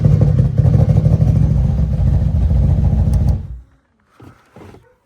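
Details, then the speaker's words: 1998 BMW E36 two-door automatic inline-six, formerly crank-no-start, first start after flashing the stock ECU with EWS bypassed: catches immediately and runs a steady, even low rumble for about three seconds before cutting off. Normal start. "It [ __ ] started right up. Holy [ __ ] All righty. I think that is going to be it. We heard it run. She finally runs."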